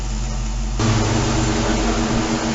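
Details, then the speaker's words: 2007 Dodge Charger R/T AWD after a junkyard Ram 1500 Hemi engine swap: deep even V8 rumble, throaty but not too loud, no misses, knocks or ticks; runs well, blowing out leftover fuel and antifreeze from the exhaust and cats. "Well, it's not so bad. It's not too. No, it's not super loud. It's more throaty. It's throaty, but it's not annoying."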